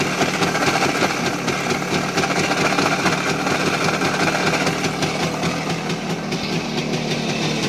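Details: Voskhod 3M two-stroke motorcycle engine, rebuilt with new piston kit and run in: hard, uneven internal knock through idle and at revs in 3rd–4th gear, started after accelerating in 4th and closing throttle; piston checked clean, crankshaft suspected, unconfirmed.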